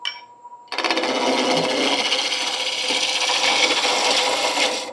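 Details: Shopsmith MARK 7 lathe turning an ash firewood blank into a long bud vase: steady, even rasp of the gouge with no rhythmic bouncing once the blank is round; smooth cut.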